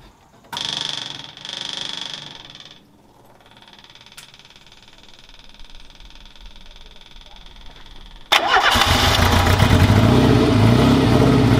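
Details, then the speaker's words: Renault 4L prototype endurance race car, first start after reassembly and rebuild: fuel pump and cranking, then the engine fires quickly and holds a loud, steady, healthy run; fuel pump and filter working, no leaks. "bon vous l'avez entendu ce moteur il fait quand même un bruit extraordinaire"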